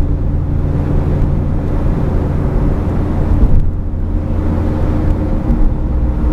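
Steady low hum and drone under the road noise that holds as the car rolls along; consistent with a worn wheel bearing.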